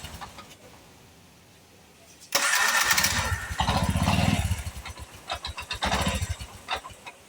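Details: Bajaj 4-stroke FL auto rickshaw after starter motor rebuild and refit; quick crank, engine catches right away and settles into an even putter with a few blips, so the start is healthy.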